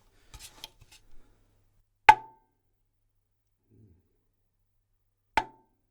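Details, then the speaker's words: 1970s Ludwig 12x8 Jazzette tom shell tapped after packing the lugs, tension rods off: two sharp taps with short mid tone dying quickly, metallic spring ringing largely gone. "And there we go, a lot of that ringing has gone. Hopefully we can hear that through the microphone."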